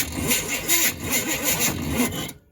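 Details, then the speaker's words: Chevy K5/K10 neglected for years, engine being turned over during a revival attempt: uneven cranking with the starter labouring and surging on some strokes, turning over rough. "Man, that sounds rough, but we're just gonna go with it."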